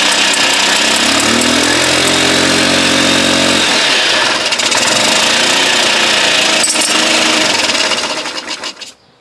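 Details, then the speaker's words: 1983 Honda Elite two-stroke scooter, first run after sitting 15–20 years: it crackles and buzzes at a high, busy rev, steady for several seconds before cutting out; it runs, though the carb still leaks. "well I got it to run it's been sitting probably 15 maybe 20 years"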